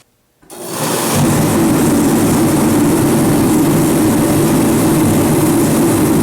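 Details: Reddy Heater torpedo heater fired for the first time after repair and reassembly: brief silence, then it lights within half a second and settles into a steady, even fan and burner roar; running properly.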